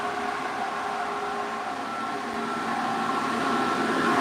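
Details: 1986 Chevrolet Silverado 4.3 V6, about 71,000 miles, new aluminum radiator, engine switched off while hot with electric fans left running; steady, even whir with no rattle or scraping; normal electric cooling fan operation.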